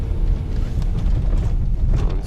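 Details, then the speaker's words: Lada (VAZ 2190) driving over rough ground before replacement of the front running gear: loose clunks and rattles break through the road rumble at irregular intervals from worn front suspension. "вы слышите как подвеска передняя гремит"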